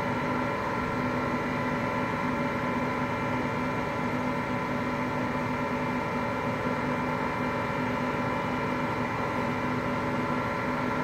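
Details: Hotpoint Aqualtis washing machine, bearings just started to go today: continuous heavy roar with a rough rumbling undertone that never lets up while turning; drum bearing rumble.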